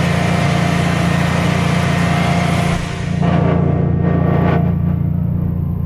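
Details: Generac Guardian 16kW standby generator, refurbished after exploded battery, running on gas under close to 6,000 W heater load: steady deep drone at even pitch and level, no hunting or stumbling; didn't even hesitate, healthy.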